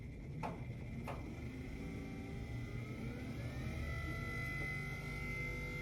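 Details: Minn Kota Ultrex trolling motor after a lower unit rebuild with armature and seal replacement, prop nut not yet torqued: a couple of clicks, then a steady, clean motor whine at even pitch with no grinding or rattle; healthy.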